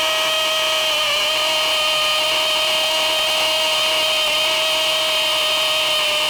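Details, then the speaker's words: DeWALT DCD999N cordless brushless hammer drill, gear 3, hammer mode, 25 mm rotary hammer bit into 20+ cm K250 concrete: even high whine with fast rattling hammer action, unlaboured; working normally. "ya kita tes impactnya berasa atau enggak uh dari suaranya aja itu impactnya sangat-sangat Berasa ya"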